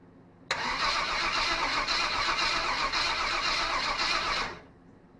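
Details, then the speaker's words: SBC 350 in a '55 Willys wagon after a new fuel pump, temporary gas tank and recharged battery: steady cranking with no firing. It cranks but won't start; the pump isn't filling the carburetor bowl and timing is suspected way off. "That fuel pump is still not filling this bowl. I don't know what the issue is. There's something I'm doing wrong here, but uh doesn't seem to want to pump it all the way up."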